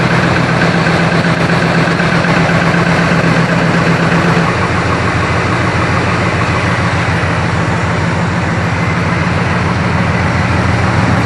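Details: 1965 Chrysler 300 convertible V8, cold, after replacing worn-bushing distributor with electronic ignition conversion: smooth, even idle with steady low beat, slight settle, no stumble or misfire; previously stumbled above 2500-3000 rpm. Normal idle.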